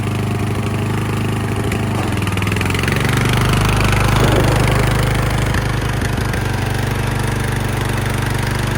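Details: Craftsman LT1000 yard tractor, long unused, after new battery, tune-up, fuel lines, oil and filter change, new spark plug: steady, even single-cylinder beat at one speed, no misses, knocks or surging; sounds healthy.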